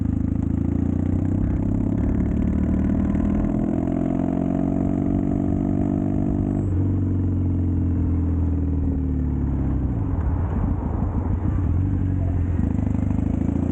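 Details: Triumph Bonneville T100 with drag pipes after air baffle removal and stage 4 ECU tune, riding: pulls cleanly through revs and shifts, low grumble with no overrun pops or backfires; problem fixed.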